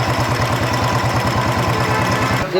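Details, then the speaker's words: Royal Enfield Bullet 350 Electra at idle: light, even tapping on every beat, quieter than before; valve tappet noise from a worn rocker arm tip, which is to be sanded level. "यहां पर थोड़ा जो चिड़िया घिस गया है घस गया है इसको इसमें आवाज आ रही है"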